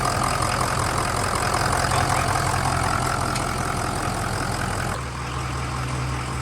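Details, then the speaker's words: 6.0 Powerstroke diesel after fuel injector replacement, started cold and warming up: it settles into a steady, even idle with a regular beat and no knocks, skips or rattles, with hardly any smoke; normal healthy idle. "So right now I'm just listening. Let it warm up and listen. It honestly sounds good."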